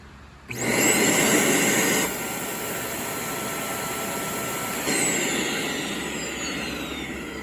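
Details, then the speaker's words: Trash-find Shark Navigator vacuum before repair, switched on: motor spins to a high whine, then tone drops and thins as airflow hits the bypass that protects the motor from overheating when clogged; the hose appears to be clogged. "and what it's hitting is the bypass in case there is a clog it's going to allow the motor to not overheat itself"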